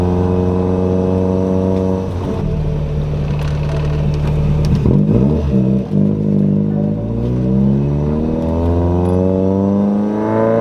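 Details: Toyota Corolla with 4AGE swap after moving the clutch master cylinder adjustable arm all the way back; engine pulls down smoothly as clutch takes up, revs climbing steadily through gears; clutch now engages and releases normally.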